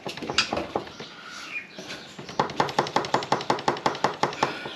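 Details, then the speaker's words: KTM 1290 on its stand, front wheel rocked by hand: quick, sharp metallic knocks nearly three a second from shot front wheel bearings. The rider felt rumbling just before stopping; the bearings are to be replaced. "so that's the wheel knock in the wheel burns are shot um so going to have to take the wheel off going to have to replace the wheel bear"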